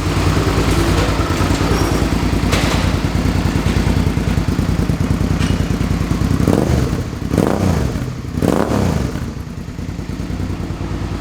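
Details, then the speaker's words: 2005 Suzuki V-Strom 650 after engine swap (original had rod knock), very low mileage replacement engine, Scorpion muffler fitted: deep, even V-twin lope with throaty exhaust and smooth blips, running cleanly; normal idle. "Okay, it sounds better this way. That Scorpion pipe's pretty sweet. I dig it."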